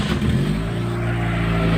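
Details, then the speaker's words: Chevrolet Optra/Lacetti/Forenza engine running with the accessory belt removed: smooth, even idle hum with no whine or knock. The earlier loud noise is gone; the belt tensioner pulley is then found to have axial play. "y bueno como pudimos escuchar ya no suena el ruido fuerte que sonaba entonces"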